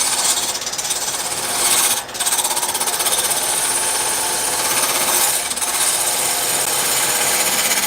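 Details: Wood lathe turning an uneven blank: fast, steady rattling chatter over harsh high-pitched hiss as it wobbles; normal chatter from the out-of-round blank, to be shaved down until it no longer wobbles.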